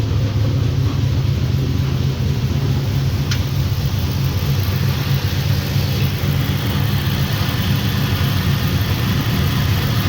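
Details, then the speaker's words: 1965 Impala with LS swap, cammed 5.3 V8, first start on base HP Tuners calibration: deep dense rumble holding steady, no misses or knocks; healthy idle warming up. "We'll get the scanner fired up here and hit the key. [Music] [Music] Oh, that sounds nice."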